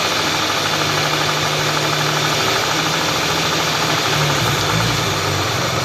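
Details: Hyundai V6: rough, uneven tapping over a busy idle with a harsh metallic edge; engine knock present, source unclear.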